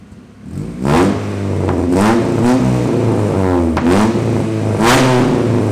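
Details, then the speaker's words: Straight-piped Honda after new sway bar bushings were installed: sharp throttle blips rise and fall cleanly over a loud open exhaust, with no rattle or buzz as revs drop; exhaust normal. "oh I'll give it a couple blips to the throttle and see if it rattles"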